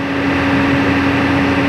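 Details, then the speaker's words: Truck air compressor after pressure adjustment, pressure rising, tested for where the air releases: steady, even, firm drone near 270 Hz, pumping smoothly toward cut-out; working normally. "Kita uji lagi. Kita lihat pada bar mana udara dikeluarkan , seperti itu, ya."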